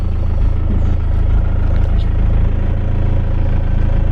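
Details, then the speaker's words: BMW E46 diesel just after fuel filter replacement and priming the fuel pump: fired straight up, steady low diesel clatter at idle, even with no misses or hunting; normal idle. "Okay, let's try and fire it up. Fired straight up, no problem."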